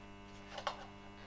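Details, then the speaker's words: Polish SMP-1 selenium battery charger (Eltron, c.1970, working though bulb missing and 6V/12V switch broken) running in series with a bulb via a regulator: quiet, steady mains hum with no crackle, rectifier working normally, about 16.5V DC output. "I've turned on the regulator. You can hear the rectifier working."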